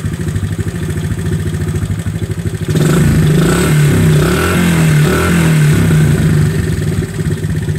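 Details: 1970 Honda Trail 70 (CT70). A steady single-cylinder putter at idle, then a clean, smooth rise in revs; the engine runs healthy.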